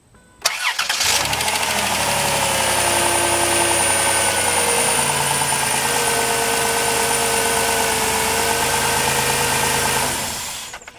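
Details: A 2005 Dodge Grand Caravan with a crank-no-start fault from a shorted EGR valve on the 5 V reference now cranks briefly and catches cleanly after EGR replacement, settling into a smooth, even idle with no misses.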